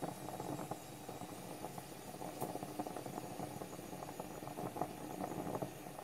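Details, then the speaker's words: French stovetop espresso pot on a gas flame, lid not fully sealed so steam escapes: steady crackling bubbling with irregular pops, normal percolation as coffee rises into the top chamber. "Did you hear that percolating sound? That's what you're listening for. That means coffee is arriving in there."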